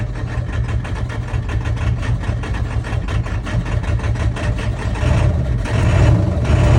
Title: 10-1-22 1999 7.3 power stroke running rough. Possible bad injector o rings?